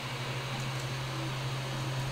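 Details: Creality Ender 3 after installing a BTT SKR Mini E3 v1.2 mainboard and Noctua 40 mm hotend and mainboard fans (stock PSU fan kept): soft steady low hum with faint airy hiss, no fan roar or stepper whine; normal quiet printing.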